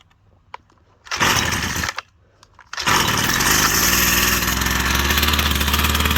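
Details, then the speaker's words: Husqvarna 122C two-stroke trimmer on 50:1 premix, cold start: fired on full choke, pulled again at half choke, then choke fully off. Buzzy catches, then a steady even high-pitched run while warming up for a minute; normal warm-up idle. "Now you just want to let it warm up for a minute."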